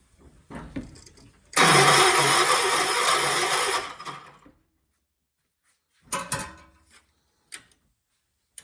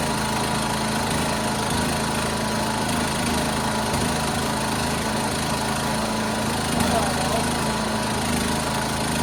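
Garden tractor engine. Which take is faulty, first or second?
first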